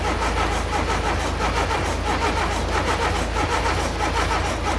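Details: Mk2 VW Golf, unstarted for 20 years, cranked on a -2 °C morning with fuel fed manually after a fuel leak made it hard to turn over: long, even, laboured cranking with a slow steady beat and no catch.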